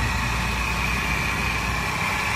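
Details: Mercedes-Benz C280 W204 six-cylinder engine idling with a constant high whirring whine from a noisy belt tensioner.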